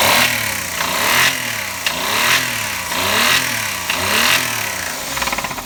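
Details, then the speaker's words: Engine revving in slow surges with a hard, deep bottom-end knock over each rise that never clears; owner suspects a bearing (metal) knock. A Motor Up oil additive was added and the engine idled about five minutes, but the knock remained. "多分これメタルねえぜ、きっと俺は。ダメでしたね。ダメだろう。"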